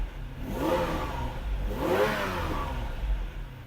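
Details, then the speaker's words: Ferrari 456 V12 after reseating a loose connector, for an intermittent fault that drops half a bank: smooth, even rev rising and falling cleanly with throttle, no misfire; all 12 cylinders running, fault not yet confirmed fixed. "Currently, as you heard, we've got all 12 cylinders singing beautifully. The engine is working perfect, but that means nothing on the 456."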